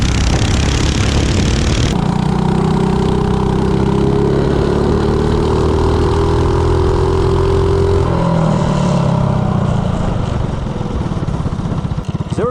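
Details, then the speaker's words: Coleman CC100X mini bike with 197cc LCT snowblower engine, Nibbi 24mm carburetor (120 main, 38 pilot jet), header pipe and 18 lb valve springs; revs up cleanly and holds a steady, even drone, lean hesitation now gone. "Oh yeah, I definitely like that one better. Doesn't have that hesitation now."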